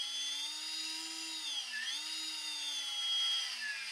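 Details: Brushless RC boat motor on Eachine SS Series 125A ESC, after programming with a pistol grip radio: high, clean electric whine holding steady with small pitch dips and recoveries; running normally.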